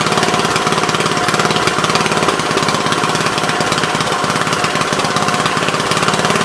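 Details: Troy-Bilt tiller, parked long and non-starting, running on choke after a bad spark plug was replaced: steady, even single-cylinder putter with no misses, firing cleanly, normal running.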